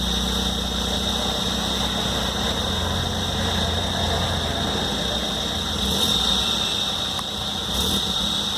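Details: Hyundai Venue 1.0L turbo petrol at cold start, idling with a constant high-pitched whine over the engine note; abnormal noise, the dealer has been unable to fix it.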